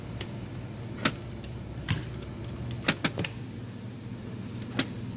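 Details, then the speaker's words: JVC DLA-RS15-U D-ILA projector plugged in: faint irregular clicks over room hum as the lens door keeps trying to open and sticks. There is no power light when the power button is pressed, and the unit fails to power on. "look like the door is trying to open and stuck you hear that so yeah just keep doing that like there is no light if I push the power button yeah no light"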